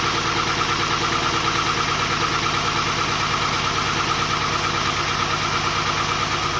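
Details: Volvo 240GLE with an LS2 V8 swap on first start after engine reinstall: lumpy idle with a regular stumble about three times a second, one dead cylinder. The number 8 coil had been swapped to number 2; pulling that plug changed nothing, and the owner suspects that plug.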